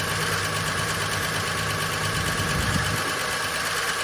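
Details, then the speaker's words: Long-unserviced VJ Dodge ute, engine previously stuck, first start with no transmission fitted: a rough idle with a loose, uneven metallic rattle and smoke. Owner suspects the clutch thrust bearing sitting on the pressure plate. "Doesn't sound that great, but it's running."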